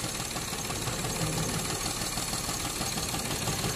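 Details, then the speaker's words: Perodua Viva with strong engine shake and rpm hunting when the aircon is switched on: idle stays lumpy and uneven, and pulling the second coil's plug lead changes nothing, so that coil is dead and misfiring. "so secara otomatik koil yang keduanya sudah rusak"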